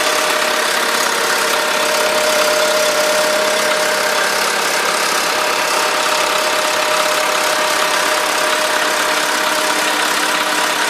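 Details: VW Polo sedan, 13,000 km mileage, at idle: a fast, light valve-like ticking of about three per second, which appeared right after the first scheduled service (TO-1); cause not yet found.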